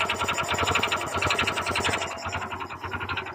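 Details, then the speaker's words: Honda Click 125 scooter idling with the CVT removed, heard from above, loud drone. Fast, hard metallic clatter, rough and uneven, beating with each turn. Connecting rod knock. "So meron din dito guys, no? Malakas din ang kanyang ingay ng kanyang makina, ugong, no?"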